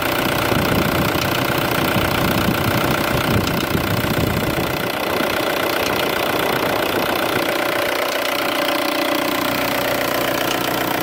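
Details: VW ALH TDI diesel idling with steady light ticking, two or three a second, after timing belt job; bent cam lock plate left cam timing about one tooth off; fixed by retiming cam with proper puller.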